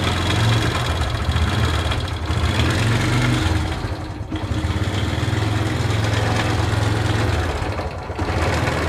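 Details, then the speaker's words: Honda CS1 motorcycle engine at idle: loose, clattering knock over an uneven idle with brief dips in speed; the camshaft bearing has collapsed and the cam lobes are worn almost flat, so the camshaft will be replaced. "Sementara penyakit lahare ambrol, lahar noken as. Jadi suaranya ngoklok-ngoklok."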